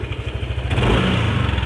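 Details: Yamaha NMAX scooter blipped then released: loose kletek chattering rattle on throttle release that vanished when the cam chain tensioner was pressed in further, pointing to a worn tensioner; loose CVT sliders were also found.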